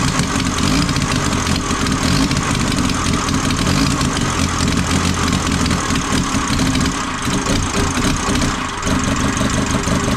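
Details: Ford Transit 2.5 diesel, first start after engine reinstall: idles with a slightly ragged, uneven beat; owner suspects an air leak in the fuel system, probably old rubber hoses near the tank.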